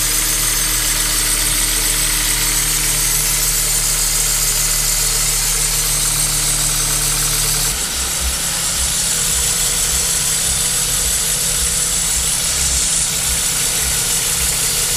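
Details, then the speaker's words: Kia Cee'd 1.6 petrol, 2007, at idle: a thin, high squeal rides steadily over the engine without changing; the accessory drive belt for the alternator and other ancillaries is squeaking and slipping. "здесь у нас киа сид 16 бензиновый двигатель 2007 года скрипит ремень привода генератора всего остального навесного оборудования"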